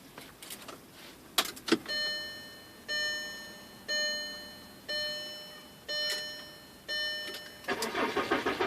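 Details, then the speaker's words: 2004 VW Jetta, BBW engine, steel tank, first key-on after fuel pump and filter replacement with the access cap loose: key chime pings about once a second, mostly masking a faint pump buzz, then a brief even crank and start. Normal priming and cranking. "go think I heard it there oh yeah and it started so guys that was it you can kind of hear it buzzing down in there it's not very loud at all"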